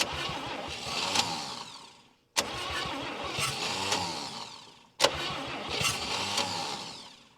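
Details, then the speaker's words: 1959 Chevy Biscayne 6-cylinder, freed after being locked up through about 20 years of storage: three slow, laboring cranking bursts of about two seconds each with pauses, turning over heavily but never catching. Owner suspects a failing starter and removes the alternator belt to cut drag. "I don't understand all right guys I'm going to call it for now the starter is just fighting me every"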